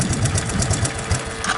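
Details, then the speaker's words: 1984 Honda ATC 200ES Big Red after carburetor cleaning for a no-throttle-up-from-idle fault, warmed up on choke: settles into a quick even putter about eight beats a second at idle, steady and unlabored; healthy idle. "Gotta love it when they idle down like that."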